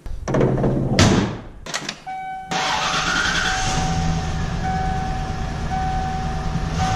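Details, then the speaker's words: Mid-1990s Ford F150 4x4 V8 project truck, just after oil change, compression improved from about 120 to about 150, idling before warm-up: slightly uneven, shaky idle with a faint steady whine; still rough but much better than before. "still got a little shaky to it a whole lot better than it was though that's for sure"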